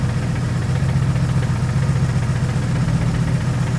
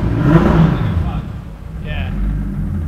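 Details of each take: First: 2JZ-GTE turbo six in a Mercedes SL500 swap with 6-speed manual, started to check whether it runs on six cylinders; lumpy shaking idle with uneven low thump. Misfire, two cylinders dead. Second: 2JZ-GTE turbo-swapped Mercedes SL500 with a 6-speed manual, after new plugs, reassembled coils and cleaned injectors (two injectors previously not firing): a deep, even note that settles after a blip, now running on all six cylinders.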